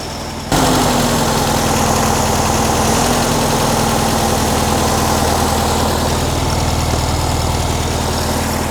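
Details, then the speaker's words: 1957 VW Beetle warming up on choke after a minor engine tune; starts and settles into a fast, even idle with a steady whir and no misses, choke element heating to open; normal warm-up idle on choke. "I'm just going to let it warm up. Well, not so much the engine, but let the choke warm up and see what it's at. Right now, it sounds fine."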